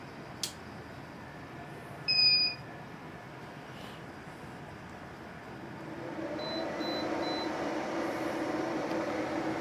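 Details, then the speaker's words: Garvee 14,000 BTU portable air conditioner restarting after being powered off (simulating an outage) during a test of whether a 2000W pure sine inverter can start it: a single beep, then fan hum swells to a steady even whoosh; normal start-up. "All right, and the Garvey is starting back up."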